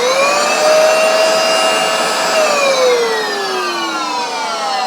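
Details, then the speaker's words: Vax Dual Power W86-DP-b carpet washer switched on for a demonstration: the motor whines freely, pitch easing up then sagging, while the brush rollers don't turn. The owner suspects the drive belt went crispy and snapped: broken drive belt. "So what I suspect is the belt's broken and we've gone to use it. It's probably been crispy and it's snapped."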